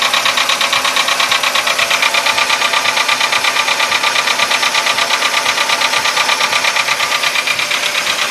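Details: VW Polo Sedan engine at idle, now 67,000 km: a sharp, very regular metallic knock about 85 per minute; it appeared faintly around 61–62,000 km and has sharply intensified; the cause is unknown.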